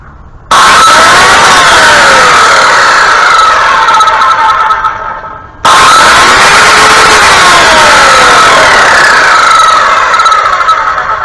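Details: Hyper Tough 12 amp 7-1/4 in circular saw, the costlier of two bought online, test run: two bursts of loud steady high-pitched motor whine winding down between runs, slight vibration; works fine, normal running.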